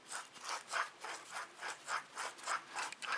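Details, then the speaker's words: Chevy TrailBlazer / GMC Envoy wheel bearing assembly, removed and turned by hand: dry, gritty rasp rising and falling about three times a second; dry old wheel bearing, the new assembly makes no such noise. "i don't know if you can hear that or not but that is a dry bearing"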